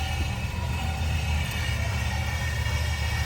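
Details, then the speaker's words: Ford Expedition hard start and stalling, fuel pump replaced two years earlier, low fuel rail pressure; after draining stale fuel and adding fresh, deep low idle runs fairly stable then hesitates, lumpy and sagging; owner suspects a kinked fuel hose, unconfirmed. "Medyo stable andar pero after a few minutes nahesitate na naman at yun ang idling niya isaba."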